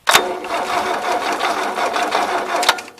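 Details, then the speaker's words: 1977 Gravely GMT 900 tractor in neutral on two jump boxes, owner suspects bad solenoid and weak battery, points not cleaned: brief fast whirring crank after a click, engine turns over but does not fire. "so that's weird I'm thinking it works it does spin over"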